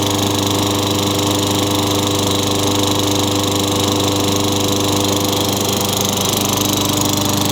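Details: Tecumseh 6 hp single-cylinder on a Craftsman 22-inch mower, after fitting a new Champion RJ19 plug and refitting the air filter: even steady drone at constant pitch, no misses or surging; runs smoothly, no smoke.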